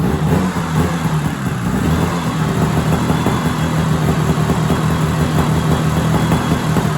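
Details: 1970s Sno-Pony snowmobile, JLO 340 twin two-stroke, sat 20-30 years, warm: steady low buzzing drone, even without stumbles or knocks; normal running.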